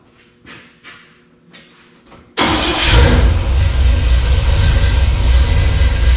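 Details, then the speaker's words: Chevy crew cab, fuel poured in to fire it: a few cranking clicks, then the engine catches abruptly into a loud, slightly uneven fast idle. The throttle linkage is out of adjustment, at least an inch off and held partly open. "gotta readjust that throttle linkage. That ain't no good right there. I'm gonna have to mess with this. I'm at least an inch off."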